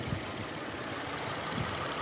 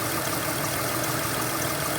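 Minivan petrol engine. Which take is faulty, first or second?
second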